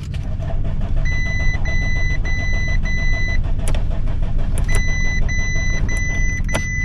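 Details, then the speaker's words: Damaged 2018 Audi A5 on a jumper box: the starter turns the engine over steadily under repeating dash chimes but it never catches. Cranks without starting; owner suspects it may need fuel. "all right it's not starting but you can hear that it's trying to start"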